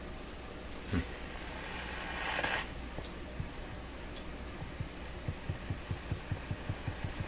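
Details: German Grätz Polka tube radio after replacing molded capacitors, control cleaned with spray: hiss at switch-on then low putt-putt pulses speeding to about three a second and growing louder; motorboating oscillation, traced to a corroded, failed wire.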